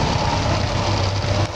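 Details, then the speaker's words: 1946 Willys CJ2A Jeep idling warm at just over 140°, with its steel fan (cracked, lost a blade) replaced by a 12-volt electric Flex-A-Lite radiator fan; steady low rumble with constant fan whoosh, no knocks or rattles, about 30% less vibration; normal idle. "I've been running this Jeep, and it's been sitting pretty at about 140."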